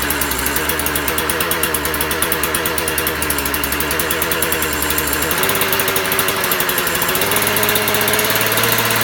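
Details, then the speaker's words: Husqvarna 36 chainsaw, previously not running, fired back up after repair and warming up; crisp, even two-stroke buzz stepping up and settling as revs change, running cleanly and happy. "That's telling me it's happy now. Fired back up, that's good."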